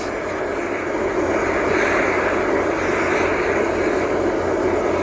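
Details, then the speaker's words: Kwiky oil burner with brass pipe, run on compressed air: loud, steady jet-like roar with no pulsing after owner suspects too much air pressure, with around 40 psi suggested, which sounds promising; burner roaring. "maybe it's too much air pressure and again I hear people say the only way to use 40 psi that's sounding promising do we have success"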